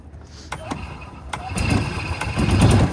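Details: Gas Club Car Precedent golf cart with FE350 engine, after fixing hacked wiring to key switch and solenoid: a few clicks, then the single-cylinder catches and settles into a steady running chug; starts and runs normally.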